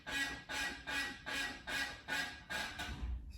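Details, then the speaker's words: 1991 Toyota MR2 after removing cracked sway bar mount, test roll: squeaky creak repeating about two and a half times a second, caused by binding brakes; the separate clicking was from the sway bar. "so the first was the clicking sound was from the sway bar and the creaking sound was actually from the brakes"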